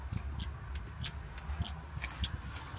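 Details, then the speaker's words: Van: crisp, light solenoid clicks about three times a second in a quiet room when powered with battery voltage; both solenoids work, so the fault is elsewhere and a wiring loom fault is suspected. "so it works they both work so what the heck"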